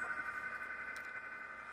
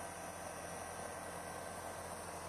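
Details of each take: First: Fujitsu mini split outdoor condensing unit: steady thin high-pitched singing over fan hum; worn condensing fan motor bearings. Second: Fujitsu mini-split outdoor unit after condenser fan motor replacement, about 95°F, compressor running hard: steady, even hiss and hum, no rattle, scrape or bearing squeal from the fan; sounds normal.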